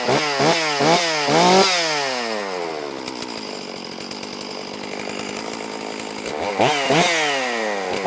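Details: Stihl MS460 chainsaw on its first start after a piston replacement, with the fuel system evacuated: it fires on one pull, then crisp revs sweep up and down before a steady buzzing idle with no misfire or stumble. Normal healthy running.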